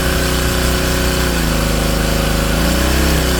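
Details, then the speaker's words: King Canada Powerforce 1500W generator, rated about 1200 W, pushed toward full 1800 W load: loud drone drops in pitch and wavers unevenly, bogging; engine lugging under overload beyond its rating. "No, they can't do the full 18, but they can do at least 1200, which is what it's actually rated for."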